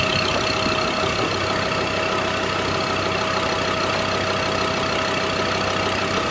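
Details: Ford Ranger diesel at its first start: loud, steady clatter at idle with an even tick and a constant whine that never changes, engine acoustic insulation off; a healthy idle.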